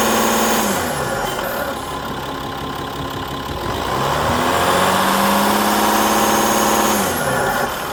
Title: 2.7hdi bruit moteur